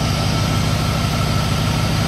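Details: 1986 Pontiac Firebird Trans Am TPI V8 after new throttle position sensor adjustment (.54 V closed throttle) with an aftermarket bored-out throttle plate: deep, steady low rumble with even firing pulses and no misses or knocks; normal idle.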